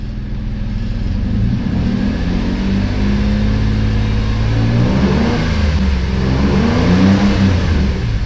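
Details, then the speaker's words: 2008 Saturn Aura 3.6L V6, 137,000 miles, after rod-knock repair, about halfway to operating temperature: throttle blips rise and fall smoothly with no knocking; bottom end sounds healthy. "i thought maybe we'd give her a little throttle and see what happens you guys cross your fingers hopefully we won't hear any knocking"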